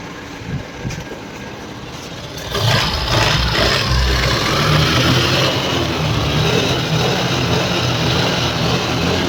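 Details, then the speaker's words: TVS Scooty Pep after oil ran out caused tractor-like noise, rebuilt with new bore kit, piston and timing set: starts and settles into even, steady idle with no knocking or clatter; runs smooth. "इस तरीके से engine आगे set करेंगे बोले तो इस तरीके से इंजन स्मूथ चलती।"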